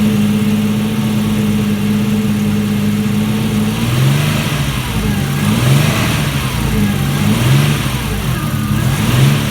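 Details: Alfa Romeo GTV 2.0 V6 Turbo, first start after rebuild, AFM-to-MAF conversion not yet tuned, aux belt needs re-tensioning: idle holds steady, then hunts up and down in uneven surges after a few seconds.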